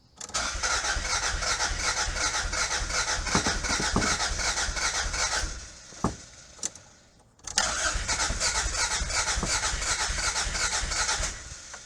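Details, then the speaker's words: 1986 Toyota MR2 AW11 with a replaced fuel tank but still no fuel reaching the engine, and earlier backfires: two long bursts of steady cranking at about 2.5 turns a second with faint catches but no run. Owner suspects the injectors. "God, so close. Let's see if it'll. Those injectors are not working. It's the injectors."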